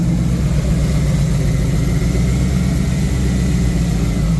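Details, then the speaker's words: 1986 Ford Mustang GT Foxbody V8 on first start, slightly warm, open H-pipe exhaust, good oil pressure: deep, steady, even idle with all eight cylinders firing and no misses. The engine is running normally. "the engine's running a lot happier now. Uh, it sounds a lot better."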